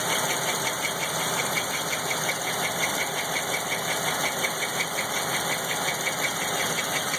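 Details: LT1 engine at idle with a couple small revs: light, fairly regular tick, nearly three per second, over the idle; unidentified ticking noise, cause undetermined.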